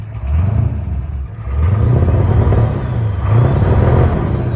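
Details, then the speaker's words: 1992 Ford F-250 IDI diesel just started, electric fuel pump on: diesel clatter and a steady low rumble with a faint turbo whistle on top; normal turbo whistle. "You can hear that whistle of that turbo. Sounds good."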